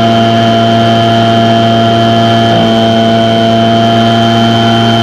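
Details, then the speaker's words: Echo two-stroke with a replacement Zama carburetor during high-speed adjustment: high, steady screaming whine held at full throttle, pitch no longer climbing. "i'm going to get that fully throttled up i'm going to bring it all the way so it won't go any higher"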